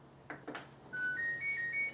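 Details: New LG washer just installed and levelled: after two soft clicks, a short rising tune of clean beeping notes plays; the washer powers up normally.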